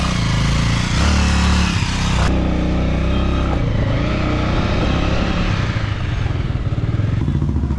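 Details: Motorcycle chain and sprocket after the noisy-chain fix of fitting a chain lock and applying grease: runs steadily with an even drive sound and no rattle or slap, so the chain and sprocket run smoothly.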